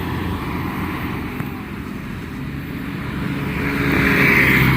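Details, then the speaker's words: Kubota L1-265 4WD tractor, 4-cylinder 26 hp, shuttle gearbox, driven on the road: a steady low drone builds smoothly with speed, with no whine or howl; the gearbox and rear final drive are quiet. "ฟังเสียงเกียร์เสียงท้ายกันอีกรอบนะครับรอบนี้เรารีวิวแบบใจเย็นๆเลยเย็นนี้มันเงียบนะครับไม่หอนไม่ดังนะครับ"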